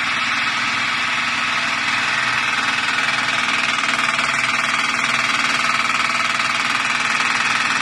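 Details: Honda Pilot engine after oil hydrolock: hard, steady metallic knocking at about 200 per minute over the running engine, a heavy internal knock from mechanical damage.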